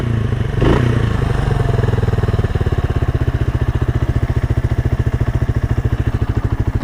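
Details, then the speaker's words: 1978 Kawasaki KL250 single-cylinder, warm, idling after a break-in ride following a top-end rebuild with new rings; steady, even thumping with no misses or rattles, no smoke or oil leaks seen. Healthy idle. "She's just purring like a kitten. I don't see any oil leaks. The engine sounds really good and smooth."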